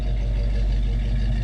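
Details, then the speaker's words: 1974 AMC Javelin after Powertrax No-Slip locker install in Model 20 rear end, transmission mount and master cylinder still to fix: deep, even rumble with steady low beat, no rattles or knocks; engine runs great. "But other than that, listen to this thing. It's perfect. I know I say that a lot, but the thing runs great."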